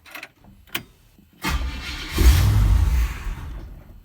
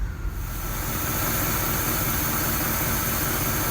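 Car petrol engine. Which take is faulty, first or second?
first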